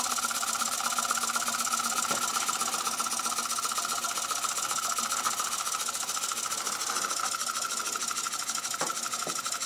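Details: Robert Fulton vertical toy steam engine running after its rusted boiler was restored by hard soldering and reassembled, fired on solid fuel tablets: soft rapid ticking, about four beats a second, over steady steam hiss; runs smoothly and evenly.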